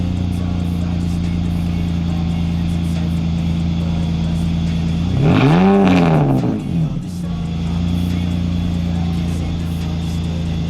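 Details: BMW E46 330ci drift build with headers, a new custom exhaust with valve control and solid Condor Speed Shop engine and gearbox mounts: deep, steady idle burble and a clean blip, no leaks or rattles; the valve changes the tone, not the volume.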